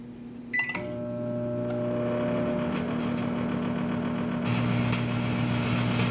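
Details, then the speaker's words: Microwave oven with plasma made from a grape inside: a steady 120 Hz buzz (ripple from rectified 60 Hz mains driving the magnetron) plus a crackling hiss from the plasma arcing. "Did you hear that buzzing too? The electrical current that powers the microwave oven oscillates at 60 Hertz."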